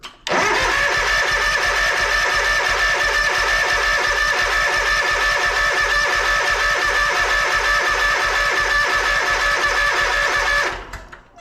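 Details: Toro Z Master commercial mower, fuel line pulled at the carburetor while cranking: even starter cranking at about three compressions a second, never fires; fuel flow weaker than it should be though fuel quality is good; suspected fuel starvation.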